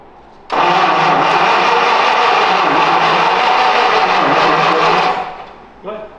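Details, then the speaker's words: 1951 Packard after transmission rebuild, first start attempt: the starter spins the engine at a steady rhythm for about four seconds but it never catches; fuel isn't reaching the carburetor, and the gas gauge shows empty. "can you tell us what happened the first try well um in the gas gauge is showing empty"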